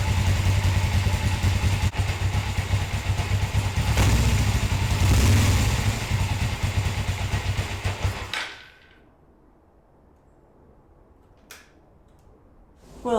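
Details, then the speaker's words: Motorcycle after rehooking the carburetor throttle return spring behind its lever, following carburetor gasket replacement: low, steady thumping idle about 160 pulses a minute for eight seconds, then shut off; high idle fixed, normal idle. "was a lot better that spring was what did it"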